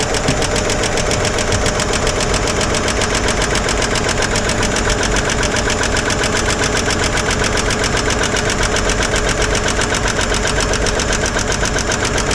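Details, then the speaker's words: 1955 Chevy 210 sedan, sat many years, first start on old tank fuel: fast, even top-end ticking over steady idle from a couple of noisy lifters, quieting as oil reaches them; pushrods spinning, a little bottom-end noise noted. "all right I think we just got a couple of noisy ones"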